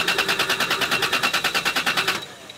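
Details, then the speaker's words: 1993 Toyota Supra, push-button start: fast, even starter churn for about two seconds that never catches; cranks but won't fire, fuel smell present, suspected lack of fuel or ignition, unconfirmed. "oh it has a little bong it did bong that's good if it bong we good it sounds like it's not getting any fuel yeah or ignition I smell fuel"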